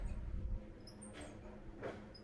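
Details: KDK V56VK fan, about 7-8 years old: high mouse-like squeaks over a low hum from a failing motor bearing; speed control also broken due to a faulty electronic board.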